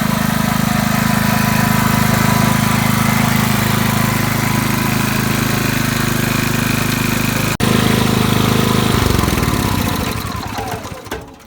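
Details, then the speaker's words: RYOBI RYI4022X 4000W digital inverter generator started on cold start, run a couple minutes to warm the oil before an oil change; even steady hum with a smooth unchanging beat, no misses or knocks, then winds down; normal running. "we let it run for a couple minutes. You don't want the oil hot, you just want your oil warm."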